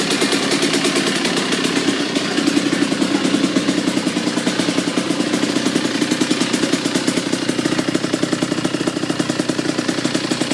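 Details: Kawasaki KX85 two-stroke with a full FMF exhaust system, cold start. Crisp, rapid popping with a light blip early on, then a steady, even idle: a healthy start.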